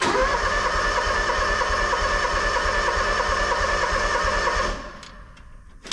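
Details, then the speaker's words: Engine on new 500-unit seed tender, battery just reconnected via kill switch; steady even cranking about five seconds, no firing. Owner suspects fuel may be turned off. Cranks but won't start. "Uh-oh. Well, I don't know if it's gonna"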